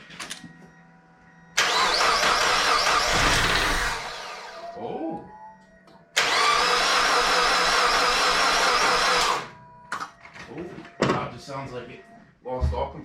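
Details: Mazda Miata cranking after valve seals, timing belt, pulleys, water pump and belts were replaced: two long bursts of quick, even cranking with no catch. Owner suspects one cylinder has no compression; cause not confirmed.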